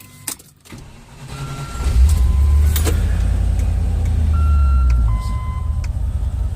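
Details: Land Rover 4.0 V8 after fix for stalling once warmed up: fully warm engine shut off and restarted, cranks, catches and settles into a steady even low idle with no stumbling; idle air control valve cleaned.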